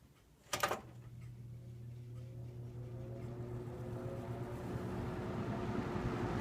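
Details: 1979-80 Galaxy model 3713 20-inch three-speed box fan on low speed: switch click, then soft steady low hum rising slightly as blades come up to speed; quiet, healthy motor.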